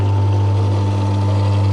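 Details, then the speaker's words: Belle mini cement mixer after a capacitor fix; the drum had come off: a deep, steady electric hum with a faint rough edge as it spins slowly; it works again but doesn't sound great and may need a service clean. "there you go does seem like it's fixed doesn't sound amazing might have to give it a bit of a service clean"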